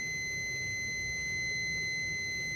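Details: Relay pin test with multimeter continuity: clean steady high beep held throughout, coil unpowered, contacts closed at rest; relay suspected single-pole double-throw.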